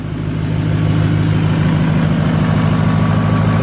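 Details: 2019 L5P Duramax diesel, first start after full exhaust and HP Tuners tune with unlocked ECM on lowest tow tune: deep, steady idle with even low beat, no ticks, knocks or exhaust leaks; no check engine lights, normal idle.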